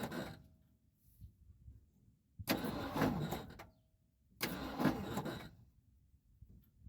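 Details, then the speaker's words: 1976 Ford F-250 with freshly reinstalled starter: two short grinding, uneven cranking bursts; flywheel teeth seen damaged, owner assumes a bad spot on the flywheel. "there's a spot in there that sounds really bad and when I was under there I noticed my flywheel teeth had damage um so I assume there's a spot really bad on the flywheel"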